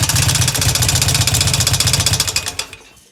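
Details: Harley Evo V-twin idling: sharp, even ticks about four per second over the idle until shutoff; a top-end tick, cause not yet pinned down.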